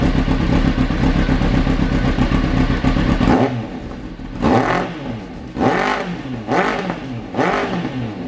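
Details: Kawasaki ZX9R E2 first start after carbs refitted, fuel poured into fuel pump pipe, tank connected not bolted, carbs not yet balanced: catches and runs rough at first, then four sharp revs up and back; starts and runs.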